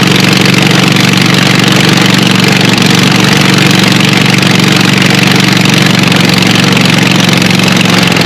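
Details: Scag Cheetah mower, apparently 61-inch, with a swapped-in Craftsman 24 hp Briggs & Stratton twin replacing the Kawasaki, no muffler: loud raw raspy roar, fast steady pulse, harsh crackle at idle while charging is checked (not charging); brutal exhaust leak.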